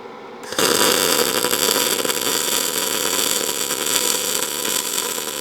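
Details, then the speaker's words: ArcCaptain MIG 205 MP in short-arc MIG mode on chart settings. A harsh crackle with irregular pops instead of a smooth hum, leaving a humped bead; amperage fine but wire feed speed slightly too fast. "I felt like the amperage was good, but to be honest, I felt like the wire speed was maybe a little bit fast."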